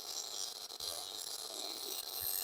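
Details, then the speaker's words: MIG (GMAW) wire-feed welding, pull technique: fine, even crackle like frying bacon with no pops or gaps, indicating correct wire speed and voltage settings; steady MIG arc. "you can also hear that this sounds like frying bacon and that's pretty much how you know that you have the right setting"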